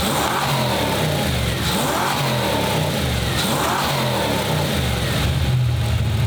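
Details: 1995 Ford Mustang GT, Ford 302 V8, after swapping in a new manifold, rebuilt carburetor, fuel pump and gas tank: crisp blips rising and falling cleanly between revs, settling back smoothly with no misses; now firing on all eight cylinders.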